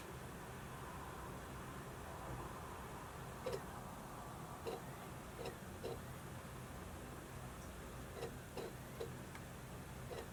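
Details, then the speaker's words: Modified 60 GB PS3 fat model with 19-blade fan retrofit: steady fan hiss with irregular sharp clicks every second or so as the disc drive seeks; noisy periodic disc drive reads. "now that we're back to the ps3 you're seeing disc operation happening periodically and that can get very noisy but this ps3 did pretty well when it comes to fat models"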